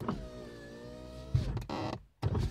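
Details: VAZ 2115 (2113/2114 family) power window: the motor whine is steady while the glass rises, then thumps and grinds briefly at the top of travel. Tightening the screw under the door handle did not help; removing the second door seal eliminated the noise.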